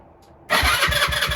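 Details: Lexmoto 125 after a heat seize and rebuild, battery hooked up, fuel primed but the fuel pump not kicking in: quiet, then a fast rhythmic starter churn of about five pulses a second; cranking, unclear if it fires.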